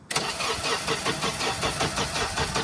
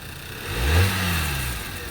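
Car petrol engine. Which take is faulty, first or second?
first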